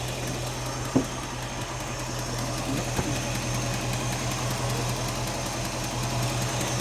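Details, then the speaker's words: '67 Mercury Cougar V8 at steady idle with a faint quick tick at the exhaust side keeping time with the engine; loud there, with black carbon traces, suggesting an exhaust manifold leak. "I got some noise right here. That one's really loud. At the exhaust. Yeah, that's it."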